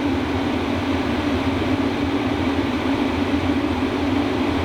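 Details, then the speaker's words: H-Calorie Toolbox 2S diesel heater powered from a Bronco, turned down to its lowest setting at just over 10 W: a steady, even fan rush and low hum, with the fuel pump tick slowing. No rubbing or rattle. Normal blower operation. "After the blower settles in, I drop it down to its lowest setting, and you can hear the frequency of the pump come down."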